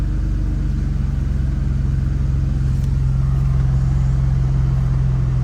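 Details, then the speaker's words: 2012 Chevrolet Camaro RS V6, started after HVAC blend door replacement with the exhaust not fitted: a deep, raw, loud unmuffled idle with an even low pulse. "Of course, we don't have an exhaust on this yet."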